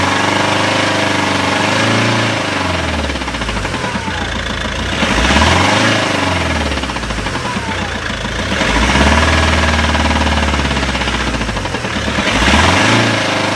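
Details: Volvo V70 2.0 diesel at idle: uneven tapping knock over a rough idle, swelling and fading slightly with revs, from the clutch end; owner suspects clutch or dual-mass flywheel, unconfirmed.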